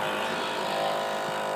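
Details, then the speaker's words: Toshiba DVD player gives a steady, even static-like buzz with a faint whine whenever the disc spins, though it still plays; cause not determined. "We can hear that static come from, that's the noise it does the DVD part."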